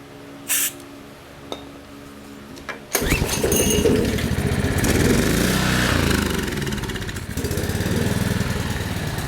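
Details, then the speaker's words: Possibly 1990s Generac/Briggs & Stratton 4000XL generator, 7.8 hp Generac engine, trash-picked, started with starting fluid: catches after a few cranks, runs rough and uneven, holding only on full choke, a little smoky; owner suspects carburetor issue. "Seems to sort of run on full choke. A little smoky."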